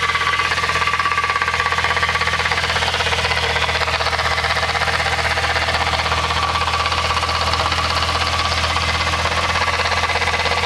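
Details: VW Mk3 VR6 idling: steady whir with a faint ringing tone and light rapid knock from the transmission, a bad gearbox bearing.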